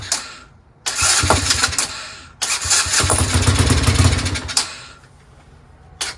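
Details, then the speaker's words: Chinese 125cc ATV quad at 30° starts cold without choke in short ragged bursts with pauses, so it has spark; intermittent fault, it runs about a minute then loses spark until next morning; suspected CDI, kill wire, key switch. "it's cold it's 30° I didn't choke it but it starts see so it has spark"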